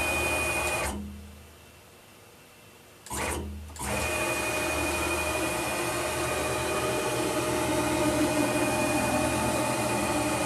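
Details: PM-940 CNC mill X axis with a 4.5 Nm closed-loop stepper replacing the 900 oz standard stepper, run at 60 VAC: steady buzzing hum on rapid moves with brief pauses, running smoothly.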